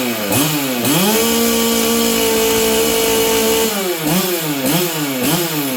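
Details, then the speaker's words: Stihl 044 Arctic chainsaw, new coil, low jet at 1-1/8 turns leaned a hair, high jet 1/2 turn; burbles and wavers revving up and falling back, briefly holds a shaky high note; rich and stumbling. "this thing still sounds Rich to me what do you guys think seems to be running better now all I did I leaned off the low jet just to hair"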